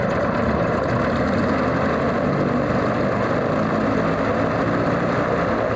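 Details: Alvis Leonides Mk 25 radial engine in a Percival P.56 Provost trainer on a ground run: steady, even low rumble with a smooth uniform beat and no misses or knocks, a clean normal idle.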